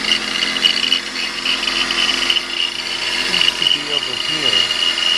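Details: 2000 BMW 528i at idle: high steady chirping squeal with a wavering whistle from the belt drive that goes away when revved. The cause was a worn idler pulley; it was replaced along with both tensioner pulleys, the belts and the water pump.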